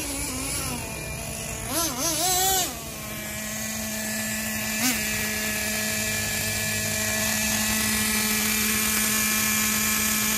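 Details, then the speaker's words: Traxxas 2.5 nitro RC truck engine, freed from a seized state, with new glow plug, needles at factory settings, probably first start in years: high buzz blips up and down, then settles into a steady, even scream; runs well, slight air leak on top. "well that's the first time this trucks been started from what it sounds like in a couple of years so she runs pretty good"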